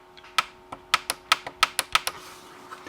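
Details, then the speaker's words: Newly fitted replacement tactile switch on a 1980s M&S Systems N350 music intercom master station, replacing failed flattened bubble switches: crisp, sharp clicks a few times a second, each press snapping cleanly in a quiet room; switch works properly. "this is our replacement and it actually clicks seems to hold in place pretty well"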